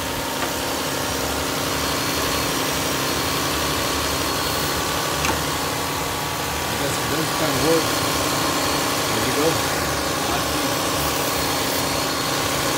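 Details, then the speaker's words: Engine idling steady and even after belt and pulleys were sprayed; the loud startup squeal that usually lasts about a minute went away quickly, no squeal or chirp left, normal idle. "should make a loud squeal when I turn it on that went away pretty quick"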